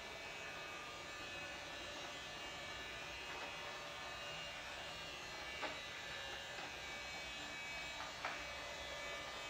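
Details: Cheap robot vacuum after its battery was upgraded: a steady high-pitched whirring buzz, even and unbroken, small motors spinning smoothly; normal running.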